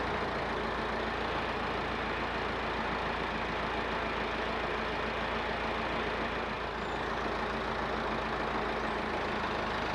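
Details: Massey Ferguson 50HX backhoe loader, 4-cylinder Perkins diesel, hydraulic pump reconnected to the engine: even, unbroken drone under hydraulic load with no knocks or labouring; engine and pump run normally though arm cylinders leak.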